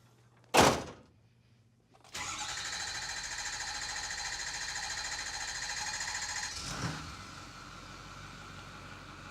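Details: 2008 Ford F-250 6.4L Powerstroke diesel after replacing an injector plus oil and fuel filters, for low power and rough running: sharp clunk, then busy crank-and-catch with injector chatter dropping into an even, quieter idle; starts fine.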